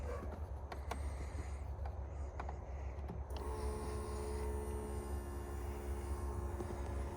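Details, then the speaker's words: Free Roma150 scooter-motorcycle hybrid (MotoBravo), no known history, with a battery hooked up and key on: after a few clicks a steady electric hum starts and keeps running without stopping, the fuel pump running continuously. "Tell me if anything sparks. Ooh, I hear a fuel pump."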